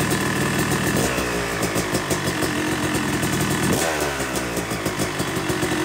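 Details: Yamaha YZ250 two-stroke motocross bike (270cc/250cc) after full engine rebuild (bottom end, transmission, bearings, clutch, power valve), second start-up after cooling, warming to about 100–125 degrees: crisp even idle crackle with smooth gentle blips; normal warm-up idle.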